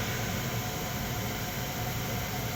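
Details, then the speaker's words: Furnace with a broken igniter, lit manually to check the system before parts are swapped: a steady, even low roar with no pulsing or popping as the gas burner runs smoothly. The blower fan is due to start next. "The igniter on the furnace isn't working, it's broken, but we're going to manually light this thing, fire it up, and make sure that there's no other issues with it before we start swapping out parts."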